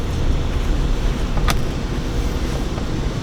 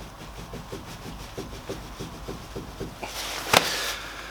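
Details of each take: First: Renault Clio Mk3 on a road test after the rear brakes and wheel bearing were replaced, recorded from inside the car: a steady low road rumble with no growl or hum rising with speed; the bearing is quiet and healthy. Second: Renault Clio Mk3 jacked up, with the rear wheel rocked by hand: light, regular clicks about four or five a second as play is felt side to side and top to bottom, pointing to a worn rear wheel bearing. The owner blames the aftermarket wheels he fitted.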